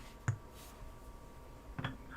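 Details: Apple HomePod smart speaker under repair, similar units having had a shorted 27 µF capacitor on the amp board: sharp, isolated pops, three in about two seconds, over near silence; speaker popping, cause not yet found.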